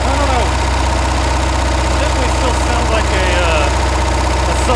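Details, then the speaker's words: Budget boat's engine after rebuild following failure after about an hour and a half at the lake, restarted on water hose: fast, uneven light ticking at idle that later turned into knocking; one or two bearings suspected destroyed again. "Okay. Still got a ticking noise I don't like."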